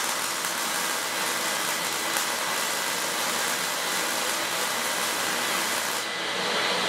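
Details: Auction-find Lincoln Electric X-Tractor 1GC fume extractor, wired for 120 V (15 A on high), in auto mode on low while welding: steady airy fan rush at an even pitch with no rattles or bearing noise, then it tails off as it auto-shuts off. It works fine.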